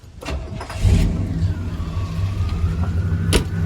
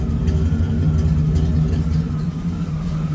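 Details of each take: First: Chevrolet Suburban/Silverado truck engine, hot after a heat cycle, at steady even low-rumble idle with no misses, ticks or knocks; running smooth, though the owner suspects a hint of the earlier problem remains and ignition timing needs slight adjustment. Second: Suburban/Silverado truck engine at idle after restart, idle dipping almost to stalling then hunting up and down: steady low rumble with a light, slightly uneven metallic ping about four times a second; cause unknown.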